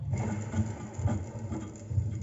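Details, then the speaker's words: Fiat Ducato diesel van running: uneven low rumble and patter swelling and fading in bursts, intermittent; worn alternator rear bearing. "rolamento aqui de trás do alterna como é que eu faço para identificar se o barulho é mesmo realmente no alternador ou se é outra parte lá do motor"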